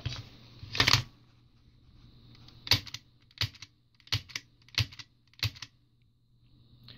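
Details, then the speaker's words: Tokyo Marui magazine with NineBall High Bullet (high-flow) valve on high-pressure gas, knocker struck: sharp dry metallic clicks every half second, no gas hiss; valve cannot be depressed against magazine gas pressure, so it fails to open. "you can hear no gas is leaving the gasket this is because the high flow valve is unable to be depressed due to the pressure of the gas within the magazine"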